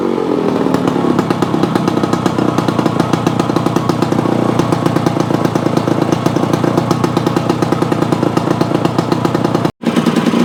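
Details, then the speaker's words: Yamaha AT-1 converted to CT-1, first start-up after rewiring, oil pump priming and carburetor fix, choke on, pre-mix fuel plus oil pump; crisp even two-stroke crackle at steady revs, brief cut near end, no misfires or rattles, normal. "Okay guys, there you have it. The AT-1 to CT-1 runs. Sounds pretty reasonable."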